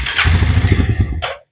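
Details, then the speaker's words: Suzuki King Quad engine whose crankcase was full of fuel, tank empty, started on brake cleaner/starter spray: fires right up and runs about a second with steady even firing, no knocks, then dies; motor sounds healthy. "it definitely just fired right up M doesn't sound too bad"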